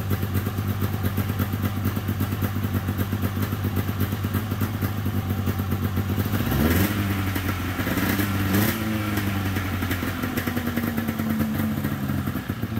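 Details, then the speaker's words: 1997 Polaris XCR 440 twin liquid-cooled two-stroke snowmobile, first start running premix, carbs not yet cleaned; steady crackling idle with a couple of clean blips settling back, sounds healthy: normal running. "sweet I don't even know if I'll have to pull those carbs apart it's idling it sounds good"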